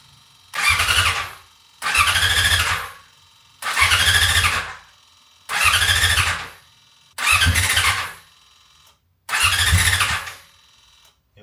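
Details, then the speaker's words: 1999 Yamaha R6 off the road about 10 years, on a jump pack with an external fuel tank and the fuel pump primed; six cranking bursts with a squealing starter, never catching. No fuel is coming through, so it won't start. "maybe unfortunately for me they were the last signs of life and even though I knew the bike had done enough to pull through enough fuel to start up I still tried a couple more times while I thought about what I wanted to do next"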